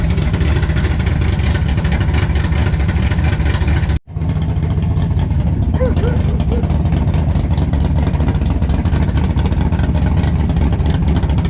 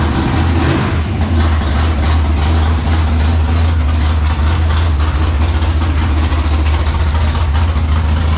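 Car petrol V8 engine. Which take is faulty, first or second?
second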